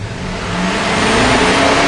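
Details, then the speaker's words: Warm 2006 Chevy Silverado 6.0L V8 after fixing the crank sensor wiring (P0335/P0336): revs cleanly and holds an even, steady note with no stumble or surging. The tach, previously jumping, is now smooth, so the problem is fixed. "we can see we're now as smooth as can be so definitely we've got this problem fixed"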